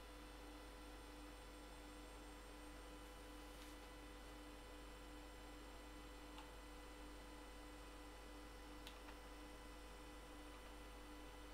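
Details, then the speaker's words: Western Digital hard drive in a retro computer, passing diagnostics test: faint steady whine over a low hum, no clicking, scraping or seeking bursts; normal running. "okay the test has passed and this Western Digital Drive was really making that the the cool sounding hard drive noises so great we have another working drive now"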